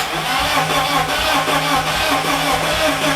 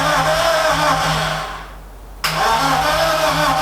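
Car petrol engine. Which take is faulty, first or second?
first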